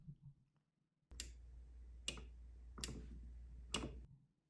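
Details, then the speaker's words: Outboard motor starter box where a momentary push button energizes a relay feeding the starter solenoid; four sharp clean clicks about a second apart over a faint buzz, the relay pulling in normally, not the button. "All right, so here you're going to hear the actual relay click, not the button. So that's not the button, it's the relay making that sound."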